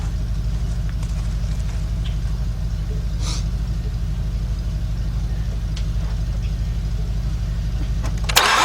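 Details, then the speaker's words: 2006-07 Mazda 6 V6 from auction, cranks but won't start, cranking during compression test: steady starter cranking, never fires; no compression on the front three cylinders, timing chain felt moving. "I got nothing. I got no compression out of these front 3 cylinders."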